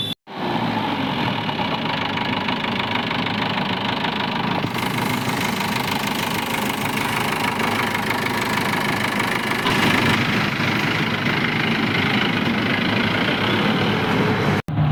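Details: Jeep diesel engine at a loud idle: a constant hum with a loose, rattly clatter. The humming is linked to engine heating and a collapsing, suction-affected radiator hose, not confirmed for this clip.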